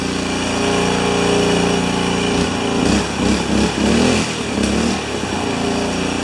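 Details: New Honda single-cylinder engine for a pressure washer, clamped down, with fuel pump, choked: buzzes evenly, dips, picks back up cleanly and runs steadily; starts and runs well.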